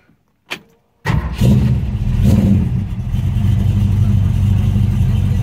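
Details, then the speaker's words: 1965 Ford Mustang fastback restomod with electronic fuel pump, cold start: brief crank, V8 catches at once and settles into a deep, steady, even idle around 600–750 rpm, no misses or knocks; normal cold start. "we're going to start this thing up and listen to it so this is a cold"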